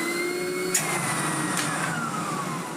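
Smooth, steady motor whine with a faint high tone and no rattles or grinding; the vacuum runs normally.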